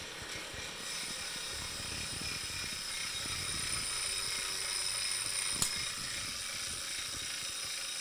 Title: Wahoo Kickr core ticking noise